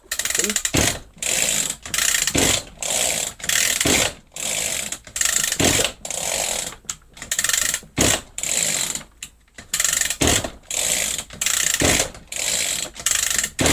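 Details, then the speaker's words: Echo GT-200i string trimmer with easy-start system, carburetor reassembled, choke on: about a dozen recoil pulls, each a short ratchety whirr with no firing; cranks but won't start, carb later found needing cleaning. "It's not starting. Looks like we got to delve a little bit deeper into this."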